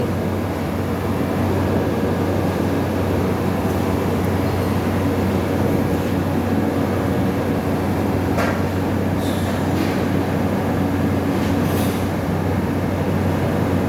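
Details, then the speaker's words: 350 W fridge compressor tested with relay and direct feed, barely runs and only weak air comes out: heavy steady low hum with rough rattly undertone, never settling into a clean run; mechanically jammed. "চলে না ওষুধ করে বাতাস হালকা বেরোয়, জাম হয়ে রয়েছে,"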